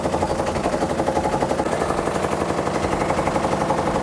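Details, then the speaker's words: Samsung top-load washer on spin cycle: violent, regular banging about four hits per second; suspected broken drum hub, not dampers or spring suspension, to be confirmed by removing the pulsator and inner drum. "I think that's why it's making uh loud noise. It's not related with the dampers or uh spring suspension."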